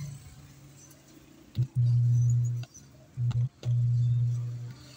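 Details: Amplified speaker already suspected of a bad capacitor, rusty circuit cleaned: low steady hum switching on and off in bursts with no audio passing; fault still present, cause not confirmed.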